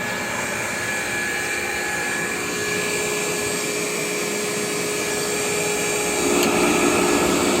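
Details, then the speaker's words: Fully rebuilt KICE waterfall aspirator on single-phase 110 V: a steady airy hiss over a constant fan hum with no rubbing, knocking or rattle. Running smooth and normal. "the footer is humming right along there are no irregular noises"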